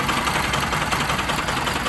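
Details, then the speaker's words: Bajaj Pulsar RS200/NS200/AS200 warm idle in neutral, silencer blocked: faint quick steady ticking from a slightly stretched timing chain, heard after engine warms up. "यह जो guys sound है यह है timing chain का। ठीक है? अब यह जो साउंड आ रहा है टाइमिंग चेन का यह आ रहा है अपनी गाड़ी गर्म होने के बाद में।"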